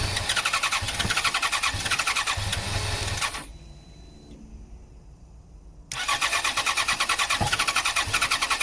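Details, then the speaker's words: 2014 Yamaha XJ6S Diversion, under 12k miles, stolen-recovered, airbox off (was badly fitted, pipes off): the engine catches on starting spray with fast even beats, dies for two seconds, then refires. Fuel supply problem; fuel pump to be tested. "yeah, this is definitely a fuel supply problem. And if the tank was empty and it just had water in it, right, so you know the engine runs and it actually sounds good."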